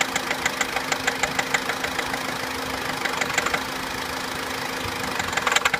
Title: Corsa C Exclusiv tapping/rattling noise (FIXED)